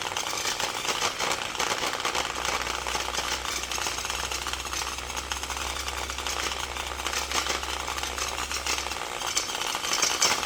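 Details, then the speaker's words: Rusted, corroded Milwaukee Magnum drill found in a shipping container. It gives a harsh, rough grinding roar that never smooths out, like gears grinding against each other. "it sounds like there's gears grinding against each other and it's not a healthy thing"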